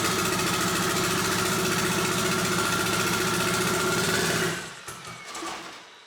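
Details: Mitsubishi Evo 8, first startup after reassembly, new tune loaded with Infinity Tuner: engine chugs unevenly about four seconds then stumbles and dies, won't hold idle; no leaks, cause unclear.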